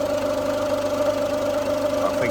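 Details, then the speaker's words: Ford Fiesta at idle after sitting unused: a steady idle with a thin constant whine over it. Owner suspects a timing tensioner or idler pulley, not confirmed, and will see whether it quietens after a couple of weeks of use. "it starts making noise again it could just be that it's not been ran so I'll give it a couple of weeks of use and see if that quietens down if not then we might have to do that tensioner"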